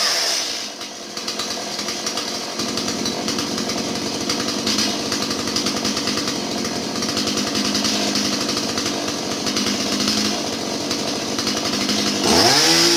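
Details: Stihl 017 chainsaw after retrofitting an adjustable non-EPA carburetor and idle/mixture adjustment: steady high-pitched two-stroke buzz, even note with no bogging or surging; runs clean and healthy.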